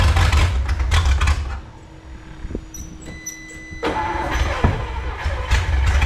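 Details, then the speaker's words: 1954 Chrysler 331 Hemi, in a salvage yard 50+ years, hot-wired: catches with a rough low rumble, dies within two seconds, briefly refires and falters. Owner suspects too much fuel pressure. "Try something here. I had to try before. Might be too much fuel pressure."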